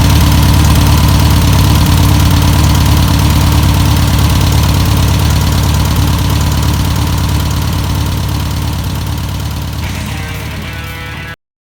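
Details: 1962 VW Type 2 bus/Kombi flat-four, first start after sitting over 40 years, running off its own tank: steady, even low-pitched idle at about three beats a second, fading slightly toward the end; normal idle.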